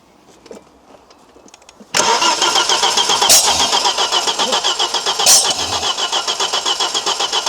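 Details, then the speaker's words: Audi RS2 (1990s 315bhp five-cylinder) barn find abandoned for years, cranking on the starter with immobilizer problems: fast uneven cranking with sharp bangs, no catch, engine kicking back; exhaust suspected blocked, cause unconfirmed. "that exhaust is block solid, mate. Do you think? Yeah, that absolutely kicked it all the way back."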